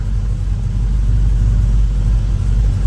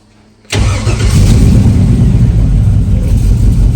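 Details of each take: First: V8 engine after reconnecting the battery, following a fuel-line flush (it had been running rich and spitting raw fuel from the tailpipe): deep, even idle rumble with no misses, ticks or stumbles. Best it has sounded yet; normal idle, codes not yet scanned. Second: Project vehicle with a fresh S10 master cylinder and Malibu booster, owner also wondering about a vacuum leak; engine catches and settles into an uneven loping idle about three beats a second, missing on about three cylinders.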